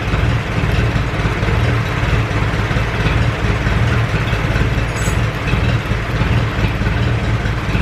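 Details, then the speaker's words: Ferguson 20 petrol/TVO four-cylinder tractor that sat in a shed about 10–15 years, first run after revival, still leaking coolant: low, even idle with regular firing beats, no misses, knocks or rattles, oil pressure good; normal idle. "but uh oil pressure looks good she's running quite cleanly right yeah let say she's a runner okay so that's it she's a runner"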